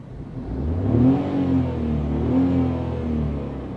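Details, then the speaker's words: 2022 Tata Tiago iCNG bi-fuel hatchback running in petrol-only mode, heard from inside the cabin: smooth engine hum rising and easing with throttle, no knocks or whine; healthy running. "Right now I have the car in petrol only mode, in petrol power mode. So listen to the engine."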